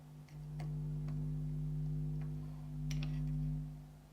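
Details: Jamo D7 subwoofer XLR input install: steady low hum with overtones, quieter but persisting with input transformer in shielding enclosure; only partly shielded, hum later eliminated by Neutrik NTL1 transformer.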